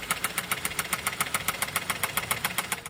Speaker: Customer states, "Engine sounds louder than normal. Please advise.